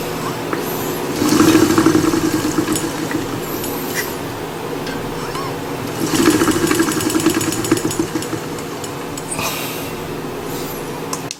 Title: cycleops Fluid2 rattling noise